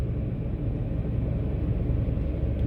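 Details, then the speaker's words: 2005 Toyota Tacoma, fully cold engine at idle, customer complaint of severe shaking: deep, uneven shaking rumble with flashing check engine light and code P0301 cylinder 1 misfire; ignition problem suspected, cause not yet found. "vamos a ver la queja del cliente a ver si si es verdad de que que este motor tiembla mucho está encendido Oh sí sí sí sí sí sí está temblando mucho en este momento"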